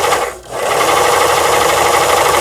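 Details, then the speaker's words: Toyota Grace 500 household sewing machine, about 25 years old and long unused, after repair: bobbin winding at setting 5 with handwheel released so needle stays still; fast, even whir after a brief start dip, normal. "지금 보시는 것처럼 북실만 오르락내리락 하면서 감기는 게 정상이 되겠습니다."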